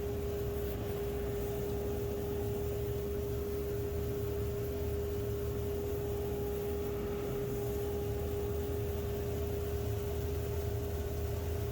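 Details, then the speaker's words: 2 HP DIY cyclone dust collector built from a modified Harbor Freight unit with a new impeller, wall-mounted blower box; steady roaring airflow with constant mid-pitched tone, cyclone action working and excellent airspeed at the inlet; normal running. "So we know it's running. It's making a Cyclone action. It's actually still got excellent airspeed at the inlet there."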